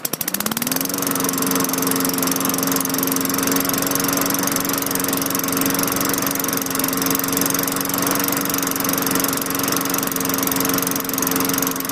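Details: 2003 Craftsman 917.387360 22" mulcher mower, Tecumseh 4.5 HP engine 143.034502, restarted as a check: starts on the first pull and settles into a steady, even buzz with no misses or hunting.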